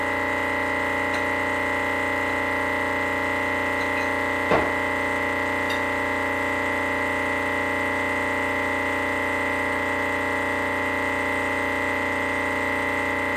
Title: Rocket premium plus making noise.